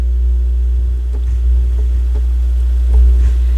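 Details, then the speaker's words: Technics SL-B202 turntable with a loud, steady mains hum and buzz in the left channel when the tonearm is moved in; a bad tonearm wire is suspected, not confirmed. "so I want to get it to a spot where it's buzzing [Music] yeah I think we got a bad tone arm wire"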